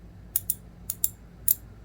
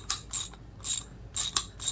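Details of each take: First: Master Mechanic T1260 round-head twin-pawl ratchet with cast zinc reverse knob: crisp, even clicks on the return swing, normal ratchet operation though internals have too much play. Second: Older Master Mechanic T1260 3/8 in round-head twin-pawl ratchet, tightening: sharp bright clicks two to three a second, some doubled; teeth worn on one side, the pawl catching on worn teeth, the ratchet near the end of its life.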